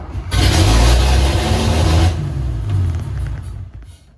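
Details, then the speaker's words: 1974 Toyota FJ40 barn find, not run in about five years, started in a garage after the choke cable stuck the throttle wide open: deep rumble, brief rev, then steady lower idle; runs normally. "okay it runs guys so in the daytime we're going to let it run a little longer"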